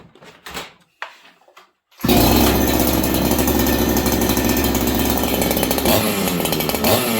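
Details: Ported clone Husqvarna 288XP chainsaw, first run, fitted with the OEM carb, low jet at one turn: fires up and holds a steady clean high rev without bogging; runs well, slight stumble off idle noted afterward.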